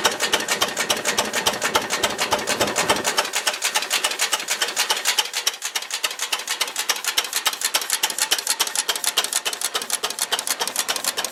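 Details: Ruston Hornsby PR, about 1926, horizontal single-cylinder petrol-paraffin engine, running on petrol after leaning a too-rich mixture, apparently first start in 5 or 6 years: slow, even, sharp crisp ticks near 105 a minute; normal idle.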